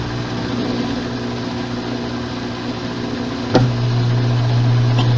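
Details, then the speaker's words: Washing machine during the spin cycle: low steady drone with an uneven rhythmic thump, then a sharp clunk and heavier hum, with abnormal movement; the transmission is completely damaged and must be replaced. "a este ruido es de una transmisión que está completamente dañada y este movimiento es totalmente anormal esta transmisión hay que reemplazarla por una nueva an"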